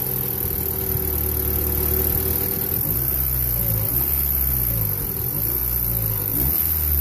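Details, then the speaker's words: 1994 Honda Accord 2.2 VTEC revved in repeated blips with a dull lower-end knock underneath; owner suspects rod knock from bad rod bearings on the crankshaft, not confirmed. "got a 1994 Honda Accord 2.2 VTEC rod knock noise. See if I can get her to make it for you."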